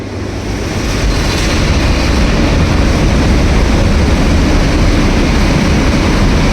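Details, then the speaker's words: 470 MW hydroelectric unit during startup, about 110 m head and 10 bar: the motorized bypass valve opens and a loud, steady rushing roar builds slightly then holds. This is water filling to equalize pressure, which is normal. "Keep an eye on this motorized valve as they begin opening, and listen carefully to the sound of filling water."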